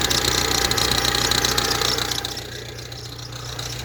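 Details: Ford Transit Connect diesel idling: quick, even tapping about four times a second over the clatter, fading as the revs settle. The vacuum pump, high-pressure sensor and cam sensor are new. The owner suspects the power steering pump; the source is unconfirmed.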